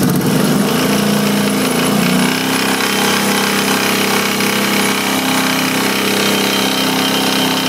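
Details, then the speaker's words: Kawasaki Brute Force engine running with oil coming out of the exhaust, oily exhaust port and some tailpipe smoke; loud busy running at steady speed with a constant metallic rattle, source not pinned down. Engine rattle. "Brute force motor noise, rattling. Sounds a bit like this too as well."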